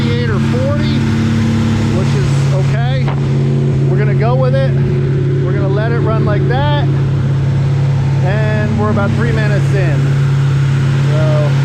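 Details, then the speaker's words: Freshly rebuilt V8 on first start during break-in, 180 thermostat not yet open, oil pre-primed to 60 psi: steady high idle with a smooth lopey cam chop, no knocks or ticks, maybe slightly stumbly from the rebuild; normal break-in idle. "sounds good. Everything seems to be okay. So now we just let her eat for about 15-20 minutes. Got a nice rump to her."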